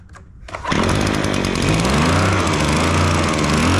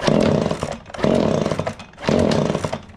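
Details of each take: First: Echo PB265L backpack blower after full service (new carburetor, fuel lines, fuel filter, air filter, gaskets, BPM8Y spark plug, tank flushed), started cold: revs smoothly, steady high buzz, clean returns; much quieter than before. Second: Echo PB265L backpack blower, before a full service with new carburetor, fuel lines, filters and spark plug. The small two-stroke surges and sags about once a second and won't hold revs. Rough running.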